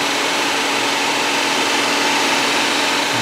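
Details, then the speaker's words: 2008 Saab 9-3 with an overheating complaint (temp gauge near 3/4): a Tech 2 fan test gives steady, even airflow on the cooling fan's second speed, which works; speeds one and three fail. "We're going to we're going to try the second speed. So the second speed is working"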